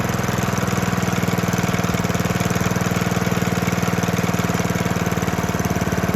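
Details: 1972 Hayterette mower, very worn with hundreds of hours, cold engine on fresh fuel after 6-7 months unused: strong, even single-cylinder beat at steady speed, no misfires or hunting; hard to start but runs strong.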